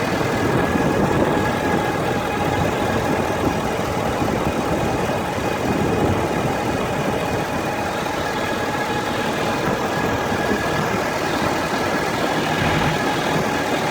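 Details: Warm Ford F350 diesel at idle: a faint constant whine rides over the rumble from the top of the engine, on the driver's side or the center black box area. A dealer blamed the transmission; several dealers found nothing. Source unconfirmed.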